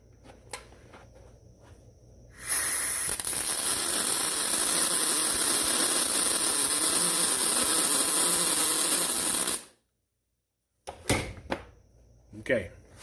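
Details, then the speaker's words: Millermatic 212 with spoolgun welding aluminum, feed rate raised to 4: loud, steady spray-weld-like hiss for about seven seconds with no crackle; too much feed rate, the weld runs hot. "if it is blowing hot and it almost sounds like a spray weld where it's going like that last one was i've got a little bit too much feed rate"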